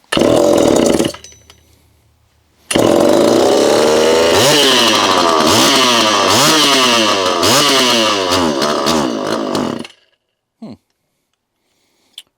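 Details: Homelite Super EZ chainsaw, test run after two years boxed, transit damage repaired, carburetor gone through, new fuel hose, assembly oil in; sharp two-stroke snarl climbs and drops cleanly through throttle blips, idles down and shuts off; runs healthy.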